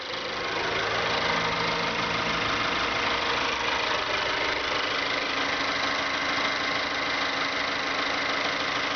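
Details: 2012 Mazda3 GS, 2.0L Skyactiv gasoline direct-injection, 16,000 km: a light, fast, steady ticking over a smooth idle. The owner finds it abnormal, but the dealer says it's normal; cause not pinned down.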